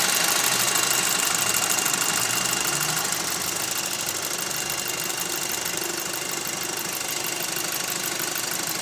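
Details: 2006 VW Golf GTI Mk5 petrol engine idling with a quick metallic rattle about three times a second over a hissy running sound.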